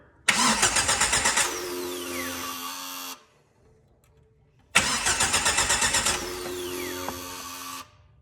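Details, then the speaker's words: 2005 Jeep Wrangler no-crank no-start, starter fed directly by a jumper wire: two strong, even three-second cranking bursts with a steady rapid beat, a healthy starter, so the fault lies upstream, a suspected bad relay contact or pin. "to my surprise it cranked over like a champ so that just told me everything's good down to the starter"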